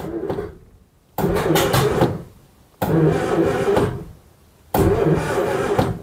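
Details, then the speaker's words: Daimler Consort barn find, unstarted for decades, in neutral: three short even cranking bursts of about a second each, starter spins engine freely with no binding, not seized. "được rồi chúng tôi quay lại đó là lý do tại sao tôi vừa làm bấm một chút chỉ để gạt qua chỉ để xem động cơ có bị giật hay không"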